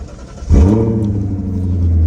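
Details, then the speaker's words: 2000 BMW 540i (E39) after replacing the under-seat fuel pump: the engine cranks, catches at once and revs, settling into a smooth even run with no stumble. The new fuel pump is working fine. "It's revving, so that means the fuel pump's working fine."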